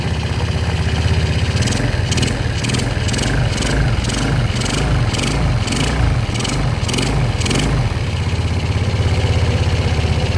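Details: Yamaha Jupiter Z single-cylinder engine after rebuild, oil refilled and oil confirmed reaching block and head; starts at once and settles into a steady, even idle with a short rev, no knock, now very smooth unlike the earlier noisy engine.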